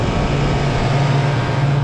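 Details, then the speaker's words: Walk-in freezer compressor running after start-component repair, sounding a bit odd because items are sitting on it; steady even low hum, no clicking or stalling, line set getting cold. Start capacitor had exploded; correct-size replacement to be fitted later. "it sounds kind of funny because i've got all this stuff sitting on it"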